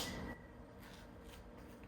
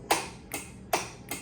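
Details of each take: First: Triumph TR6 rebuilt engine, cranked with the coil disconnected: slow, labored cranking about two turns a second with no firing. The battery is too weak and was swapped for another. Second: Rebuilt Triumph TR6 engine, ignition on with the starter main power disconnected and only the solenoid wired. Four sharp, dry clicks with no cranking; the starter solenoid pulls in and works normally.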